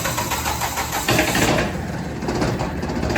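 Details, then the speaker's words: Auction-bought diesel generator engine, injection pump not injecting, test-run on sprayed silicone lubricant instead of fuel: uneven, lumpy diesel clatter rising and falling irregularly; rough running from pre-ignition of the spray lube, not harmful. "And it sounds a little bit rough, but that's just the pre-ignition of the spray lube, which isn't the best thing for it to run off of, but it won't hurt it any."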